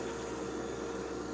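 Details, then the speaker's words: Hummer H2 fuel pump on a bench power supply with its outlet plugged to simulate pressure: a steady electric whine as the regulator bypasses, current rising to 7.5 A; normal pump running deadheaded. "some fuel this is coming out through the threads but you can see the reservoir is now filled up full of fluid and you could hear the actual pressure regulator kick in"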